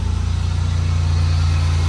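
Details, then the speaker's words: 2004 Buick LeSabre after repair and clearing codes: an even, smooth idle with no chugging or shaking, about 200 RPM higher than before, when it chugged below 1000 RPM; healthy. "It sounds a lot better, actually. It's not chugging or shaking. Idling about 200 RPMs higher than where it was."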